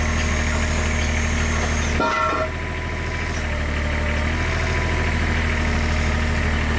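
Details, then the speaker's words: IHI 28J mini excavator, Isuzu 3LB1 diesel, after replacing injector pump O-rings that leaked diesel into the crankcase: injector line tightened and the engine picks up to a steady, even idle with every cylinder firing, successful fix. "You hear the engine pick up. And that cylinder is working. So, that is a successful fix."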